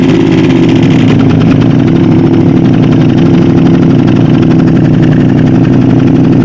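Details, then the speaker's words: Aprilia RS660 with many mods and new exhaust, first start after refilling cooling system and changing oil filter, before a bespoke map; deep, steady, even idle burble with no ticks, knocks or misses, sounding healthy. "okay well in my opinion that sounds pretty good"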